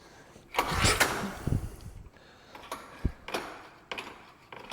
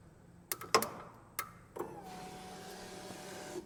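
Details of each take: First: Polaris single-cylinder engine bought seized, turned over with the recoil pull rope; firm, even compression puffs with no tapping; feels like enough compression to run, no sign of a stuck valve. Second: Polaris engine bought seized, starter relay under the gas tank jumped to try to crank; a few clicks then a steady whirring hum with no cranking; owner suspects the starter is locked up too.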